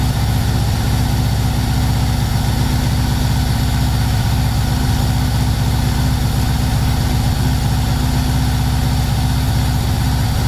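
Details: VW T3 Combi with swapped Subaru engine just after first start: deep, unsteady idle stumbling in an irregular pulse near 94 per minute, black smoke, mixture around 12.5, far too rich, risking fouling plugs.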